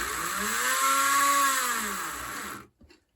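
Thin motor whine rises then falls as power goes up and down, but nothing rolls; the loose truck plate lets the motor spin freely.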